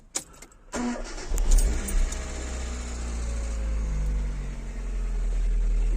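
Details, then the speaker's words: Hyundai Getz after a timing belt, fuel pump and filter, oil and all filters, and spark plugs were replaced: brief crank, then it catches into a smooth, even idle. Valves clatter until warm, as when bought; the idler roller still needs replacing. "все завелось все чудово на початку клапани клаци де розігріву"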